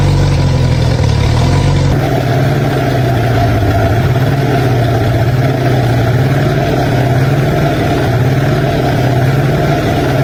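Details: Diesel engine after repair cranks briefly, catches, then settles into a steady, even idle with a smooth low drone and no knocks or misses; normal idle.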